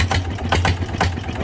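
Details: Used single-cylinder diesel farm tractor engine being checked before purchase, revved with the oil pressure up. It picks up cleanly with a steady, even thump, no balancer-weight knock or rattle, and sounds tight and healthy.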